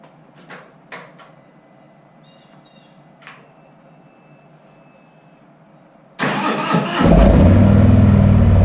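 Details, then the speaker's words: Harley Street Glide M8, stage one tune with intake and Screamin' Eagle slip-on exhaust, before Vance and Hines swap, cold after sitting overnight: brief crank, V-twin fires and settles into loud, lumpy but even idle; normal cold start. "It's going to be a cold start. It's been sitting here all night long, so it's not warm at all."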